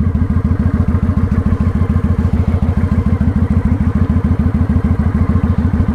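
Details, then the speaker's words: Motorcycle pulling away on clutch alone with no throttle: slow, heavy thumping about three and a half beats a second, laboured as the engine lugs close to stalling until slight gas is added. "Now, at some point I have to give it a little gas because you hear it's dying."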